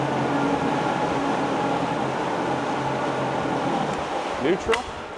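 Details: 2009 Yamaha 75hp four-stroke remote outboard idling in neutral: an even, smooth hum with no knocking or misses; runs healthy.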